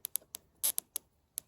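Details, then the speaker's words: Mopar electronic ignition distributor on a bench with battery, coil and spark plug, turned by hand: sharp dry snaps at uneven gaps, about eight in under two seconds; weak, sporadic spark, so a different ignition box is tried. "I'll zoom in here, but as I turn the distributor, I get little zaps. Very sporadic,"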